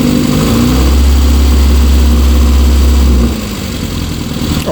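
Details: Rover Mini with repaired hot/cold air intake flap holds a strong steady rev for a couple of seconds, then drops cleanly to a smooth, even idle; slight black smoke while it clears out after long rough running; normal revving.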